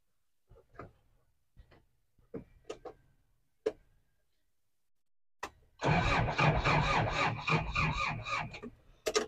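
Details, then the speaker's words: 2003 Daihatsu Rocky manual 4WD: a few dry clicks, then fast rhythmic cranking chug without catching; hard to start, owner guesses it needs slight throttle while cranking, and the battery seems weak. "Agak susah, ngeri juga nyalainnya nih. Karena ya si Daihatsu Rocky itu memang mungkin ya karena karburator jadi kayaknya harus sambil digas dikit gitu kan."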